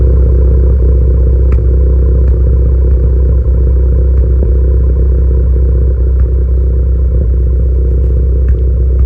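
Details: Tuned turbo car (PRL SRI race MAF, PRL intercooler, 27Won downpipe/front pipe, Greddy Supreme exhaust) with P0300, P0301, P0304 codes: sharp irregular pops and cracks, two or three a second, over a low rumble; misfires suspected, not confirmed.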